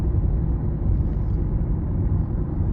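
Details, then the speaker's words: 2018 Honda CR-V driving after P0303 cylinder 3 misfire, battery replacement and cleaned corroded ground: low, even rumble under way with no misses or surging; all dash warning icons cleared, drives smoothly. "So I started driving it, and now everything went away. So I don't know if the alternator kicked in and it started charging up the system correctly, but everything just disappeared off of the dash. It's driving nice and smooth now."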